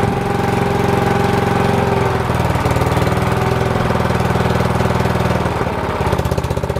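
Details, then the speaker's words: Old cast-iron Briggs single-cylinder on a Simplicity VC walk-behind tractor, started after years sitting outdoors: steady thumping about two beats a second, sharp punchy uneven firing; firing hard and lacking compression, points gap to be checked. "unfortunately it is definitely lacking some compression and it sounds like it's firing a little bit hard too"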